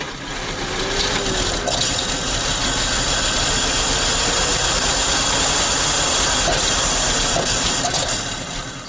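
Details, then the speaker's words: ZIL crane truck petrol engine after 20 years standing, choke half on: catches, runs ragged a few seconds, then sags and dies; owner suspects too little fuel, carburetor accelerator pump to be inspected. "Но он запускается, но стреляет в карбюратор. Мне кажется, ему топлива все-таки мало."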